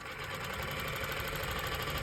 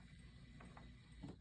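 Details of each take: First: Techsew 202 fur sewing machine before fitting a 3-to-1 speed reducer pulley: fast steady needle-drive clatter, brief stop and quick restart to full speed; motor engages abruptly, machine runs too fast to control material. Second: Techsew 202 fur sewing machine after a stand-alone SR-2 speed reducer pulley was installed: quiet, low, even mechanical rumble with soft ticks and no strain. Before the fix, the motor engaged before it had enough power to move the needle. Now it runs slowly and smoothly.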